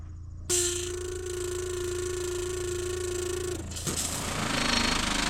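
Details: Methanol injection pump on switch test mode feeding 2000cc nozzles, first run with dry empty lines, pressure sensor fitted: steady mid-pitched electric hum holds evenly for three seconds, then spray hiss takes over; pump runs normally.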